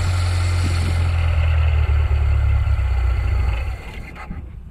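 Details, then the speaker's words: Nissan Micra K10 with a carburetor and a faulty automatic choke, cold: starts reluctantly with the choke flap open but fires straight away when the flap is closed by hand. The low idle holds, then sags and dies once the choke is released and opens. "the choke flaps open it's quite reluctant to start but if you close the choke flap fires up straight away let go of that choke opens up and the engine will cry out"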